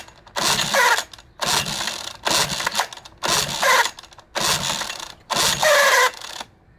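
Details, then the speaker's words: 1988 Johnson Evinrude 6 hp short-shaft outboard in neutral, which had been running a minute then stalling: six rope pulls, each a brief whirring spin with no pop or catch; cranks, no start, suspected choke or primer/fuel problem, unconfirmed. "I love that noise nothing yet more throttle it's less it's a choke problem I don't think this pull primer works I don't feel I don't feel fuel going through"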